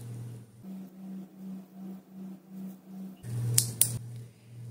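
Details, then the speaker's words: Shift solenoid out of the transmission, bench-tested by applying 12 volts: a crisp click over a low electrical hum, normal actuation. Out of the valve body it clicks only once until left disconnected a minute or two. "these two Shi Solen no are in very um working order and working"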